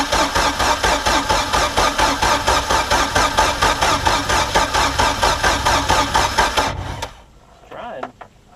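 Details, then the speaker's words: Mercruiser 3.0 in a Stingray boat, sat 9 years, after new fuel pump, carburetor, plugs and oil, on muffs: steady starter cranking about two beats a second, engine trying to catch but not firing; cranking but won't start. "really wants to i can hear it it's just not so dang close though man"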